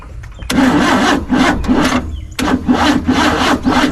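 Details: 1955 Chevrolet 210 four-door V8, stored many years, fed premium gasoline with two-stroke oil: two labored cranking bursts, chugging and straining without catching; hard start, owner suspects ignition timing too far advanced at distributor.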